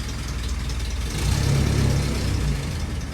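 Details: Willys Jeep petrol engine restarted after nearly 15 years unused: low, even idle pulsing about four times a second, no knocks or misses; running healthy.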